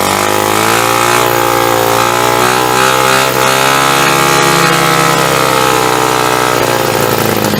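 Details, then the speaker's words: Hammerhead 250 SS single-cylinder after a tune-up and carburetor needle cleaning, first start with throttle opened: fires up running fast and uneven; rough idle, owner thinks the idle needs adjusting. "we go. Fuck, I think I need to just adjust the idle."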